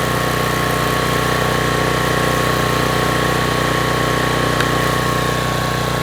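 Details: Troy-Bilt pressure washer engine brought in with run issues, test run with water on: steady, even engine drone with constant pump hum under load, no misses or surging; running smoothly.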